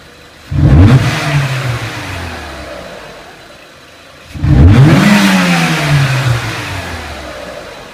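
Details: 2003 Renault Clio 1.6 petrol, intermittent stalling traced to a loose crank sensor connector (sensor good), revved during crank sensor waveform testing: two clean blips from idle, note climbs smoothly, holds and settles evenly, no misfire or rattle; normal revving.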